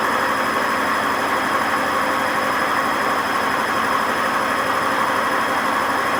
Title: WMA50 spinning without ballast, and very bad bearing noise